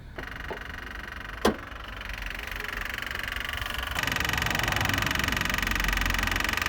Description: Had this rapid clicking sound in my car, trying to discover what it was. After touching the headlight motor that what it was that's causing that sound.